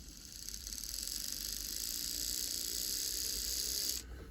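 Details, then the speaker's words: Lima class 50 model locomotive sent in as a non-runner, body off, hairs and fluff on the motor, leads put on the motor terminals: thin high buzz holding about four seconds then cutting; motor binding from dirty commutator and old grease, probably just needs servicing. "so it is a working model it just needs service I think"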